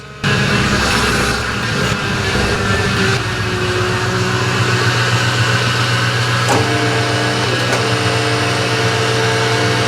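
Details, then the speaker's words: Porsche 986 Boxster (1998) with V8 swap, idling and blipping while warming from about 76 to 82 degrees: dry busy rattle over the run, quietens slightly when revved; owner thinks it's the power steering pump. "something something sounds horrible I think it's the power steering pump"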